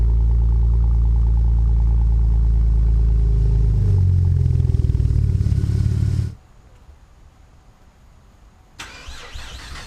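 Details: Cold start of a V6 5th-gen Camaro with MRT V1 axle-back exhaust: catches fast, settles into a deep, even high idle for about six seconds, no misses or knocks.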